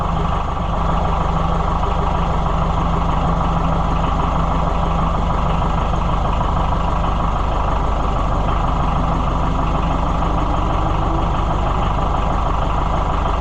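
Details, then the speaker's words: Oliver 550 tractor diesel on its test run after the injection pump was reinstalled: even, steady low chug at idle with a regular beat, no knocks or misses; runs sweet, normal idle. "Boy, it's runs sweet. I just can't get over that."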